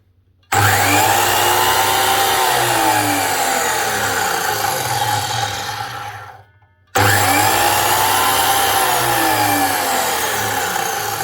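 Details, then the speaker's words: DeWalt DWS727 type 1 miter saw motor spinning up with a harsh, gritty roar and wavering whine from worn, rough bearings, plus a little sparking; brushes also to be checked; bearings to be replaced. "main thing is the bearings with the sounds of it sounds very rough"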